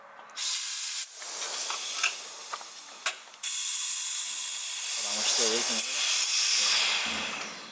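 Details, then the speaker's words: DIY boost leak test, shop air fed into a port on the turbo: steady high airy hiss from the feed line only, no extra whistle elsewhere; intake is well sealed, no boost leaks. "I mean obviously this thing is pretty darn sealed up good yeah I think all of its pretty much just coming out of our one line which we already knew so pretty much no booze leaks I think we're good to go"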